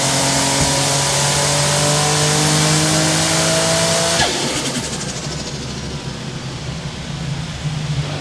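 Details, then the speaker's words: Turbocharged car on a chassis dyno, G40 turbo at about 30 psi boost, torque converter unlocked, full-throttle pull making 586 rwkw: rising note with a brief stumble before lift-off, a slight miss under high boost, cause not yet found. "Had a slight miss, did you hear it? So there you go guys, 586 without locking the converter. Had a little bit of a miss, so we're just going to have a look what's going on."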